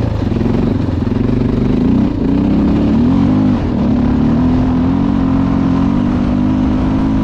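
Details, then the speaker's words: 2011 Honda XR650L single after top-end repair for a tapping noise, back running after sitting a year and a half or maybe two: steady, even thump at fast idle with light blips, no tapping or clatter; runs clean and healthy. "it's all right yeah that does sound pretty good"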